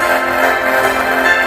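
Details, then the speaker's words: Laptop playing music through its speaker with an unequal left/right channel balance setting: harsh, crackly distortion breaking up on louder notes. "Sa dati niyang ah setup magpapatugtog tayo sa ganyang setup. Distorted na kasi yan kasing mga setup na yan"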